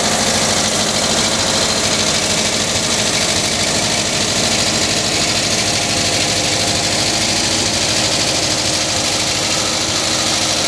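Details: 1979 Volkswagen Type 2 with 2-liter fuel-injected flat-four engine at idle: light glassy clink two to three times a second, like bottles banging; owner suspects the fan, refitted unmarked after cleaning and painting; cause unconfirmed.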